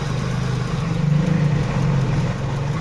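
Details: Hyundai Venue petrol with injector 4 unplugged during testing (real fault: no ECM pulse to injectors 1 and 2, P0300/P0301, ECM repaired): uneven lumpy idle, low drone, irregular stumble; induced misfire.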